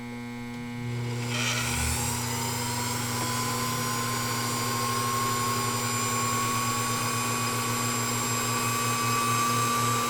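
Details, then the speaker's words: Fully restored Pfaff 229 sewing machine running its original 1.3 amp motor with the clutch disengaged: it winds up within a second to a smooth, steady whir with an even pulse about four times a second. The motor is healthy. "so again first thing I want to do is just let you listen to this motor it's all about heavy duty"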